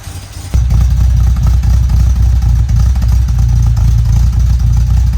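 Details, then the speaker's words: 1967 Volvo 122 Amazon revving after fitting a new 2-inch sport exhaust: strong, deep engine note, much quieter than before, with a faint uneven puffing underneath; it smells a little lean. An exhaust leak remains, though smaller. "It sounds pretty good. Much quieter than before. Still have an exhaust leak. Just not as bad."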